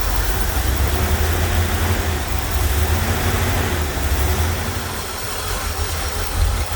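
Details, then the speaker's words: Corvette C3 V8 with Holley carburetor, cold and below operating temperature, choke flap opening slowly via bimetal spring: deep steady rumble at slightly raised idle, no knocks or misses; normal cold idle on choke. "Engine अभी ऑपरेटिंग तापमान पर नहीं है लेकिन अभी भी ठंडा है और यह खुलता रहता है।"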